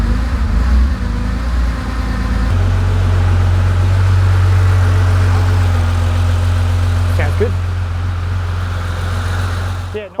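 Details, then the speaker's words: Porsche 911 2.8 RSR build with Link ECU, freshly topped up with high-zinc oil and reinstalled: engine catches and settles into a steady, even run with a brief rev, no starter clatter or grinding; running normally, ECU being fine-tuned. "right well it runs"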